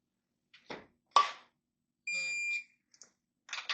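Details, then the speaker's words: Kawasaki Ninja H2 head bolt torquing during engine rebuild, 22 ft-lb setting: amid handling clicks, one steady half-second buzz as the torque wrench reaches set torque on bolt number three; normal target-reached signal. "This is number three. I don't know if you can hear it, but it buzzes."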